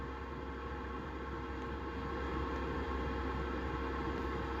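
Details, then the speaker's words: Chinese 2 kW 12 V diesel heater in a VW T4, fuel pump after the noise fix, boxed in and running at about half power: only a faint, even ticking about four per second under a low hum; quiet pump with no thudding through the mount. "I probably up on half of that which is a slower pump it is quieter is slower ticking away"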